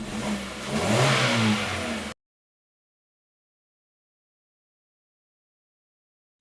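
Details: 2015 Hyundai Accent with P0335 crank sensor and P2188 codes, dead tachometer, hard start and stalling: starts right up, engine catches and revs cleanly in a quick throttle blip, smooth and even with no stumble or misfire, then cuts off; normal revving.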